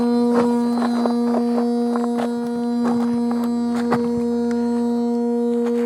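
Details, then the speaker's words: Gotway EXN electric unicycle, opened up after falling over on a trail ride: steady buzzing drone with irregular rattly catches from the cooling fan, noisy ever since the fall. "okay i assume that's the fan oh well oh my that doesn't sound good"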